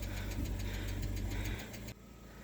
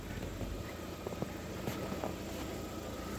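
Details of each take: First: Lada Vesta at 30,000 km: light quick ticking, about seven per second, over idle from a hydraulic lifter, appearing at about 60 °C warm-up and fading once at full operating temperature or after a short drive. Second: Lada Vesta at about 30,000 km, now warmed up; the hydraulic lifter tick that shows up while warming to about 60°C is gone, leaving a steady low hum at normal warm idle with no ticking.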